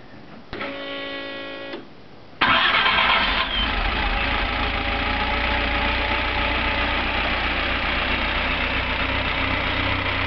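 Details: Skoda 120L engine, first start after rebuild: starter churns about a second, engine catches and settles into a smooth, steady idle with no knocks; normal start and idle.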